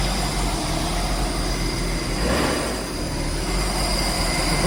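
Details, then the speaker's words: Nissan R33 Skyline GTST RB25DET after rebuild and fuel pump swap: uneven lumpy idle with a faint hiss, black smoke; blow-off valve spring not strong enough, valve sitting open at idle. "at idle the blowoff valve is just in there opening so that tells me that that's not strong enough"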